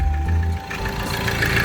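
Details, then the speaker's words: Ford Transit Connect diesel after oil sump replacement: idle with an added rattle and shake riding on the engine beat; worn rubber in the crankshaft pulley harmonic balancer, timing possibly also suspected. "See the crankshaft pulley? Yeah. Rattle. I need to pulley. Crankshaft pulley, the harmonic balancer. There's like a rubber that surrounds the crankshaft pulley. That's why it's like shaking."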